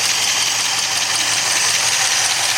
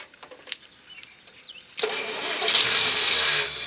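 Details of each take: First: 1964 Studebaker Daytona V8 fully warm, about 170 on gauge, oil pressure 30 psi at hot idle, smoke from Marvel Mystery Oil nearly gone, single exhaust: steady even idle with airy whir, no tapping or knocking; healthy. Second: 1964 Studebaker Daytona, first start in 25 years: quiet, then cranking to build oil pressure it unexpectedly catches into a rising roar for about two seconds, fuel squirted in carb bowl; oil pressure then comes up.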